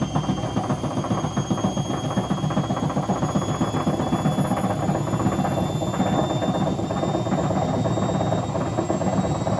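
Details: Hotpoint BHWMXL145 washing machine test spin: heavy, uneven thumping about four times a second with rattle as the drum turns; two drum spider arms snapped and drum cracked at the back, letting the drum wobble, not the bearings.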